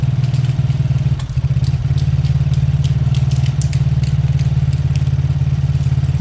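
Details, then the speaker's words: Old Lexmoto motorcycle after carburetor cleaning, left idling about five minutes to circulate oil: low even thumping idle with no misses or hunting; normal idle. "I'm going to let that idle for a good 5 minutes I want the oil to circulate I want everything to loosen up so far that sounds good"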